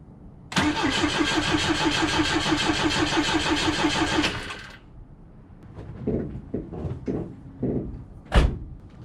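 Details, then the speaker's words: Volvo B20 engine after years of sitting, fresh fuel in the tank, new filter, jump pack, oil pressure light goes out: even cranking at about three beats a second for four seconds, never catching; crank no start, later fired briefly on starting fluid. "well that started a bit it also looks like it's puking all right i'm gonna give that one more try okay i think i'm gonna pause for the moment the engine fired a little bit"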